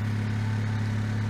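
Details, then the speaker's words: Honda Civic after tune-up and cleaning: low, even hum with steady drone, no misses, ticks or stumbles, no leaks, running much smoother than before; normal petrol idle. "it's nothing nothing's leaking it's running a whole lot smoother than"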